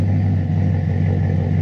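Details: Chevy Silverado 5.3 LS with a BTR Stage 2 truck cam, stock torque converter and 4-inch exhaust tips: a deep, steady V8 rumble with an even pulsing beat and no knocks or ticks. Healthy cammed engine at normal idle.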